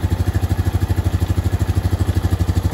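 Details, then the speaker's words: Honda 420 ATV single-cylinder after transmission repair and reassembly, first start idling steadily at about eleven thumps a second with no clatter or knock; much less noisy than before, no smoke, sounds healthy. "it's gonna let it idle for a minute let everything gets oil pressure through US yeah it sounds perfect"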